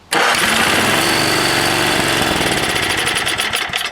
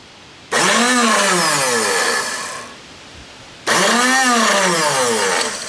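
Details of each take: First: 5 hp Tecumseh engine after freeing the rusty, stuck Bendix on the 33290E (23220) starter, a little gas poured down the spark plug hole, throttle up; starter catches cleanly and the engine fires straight into a steady fast run, no grinding or freewheeling whir. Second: Tecumseh 33290E (23220) three-bolt electric starter on a 5 hp Tecumseh engine; two bursts of free high whirring spinning up and winding down with no cranking, motor spins but rusty, stuck Bendix gear not engaging.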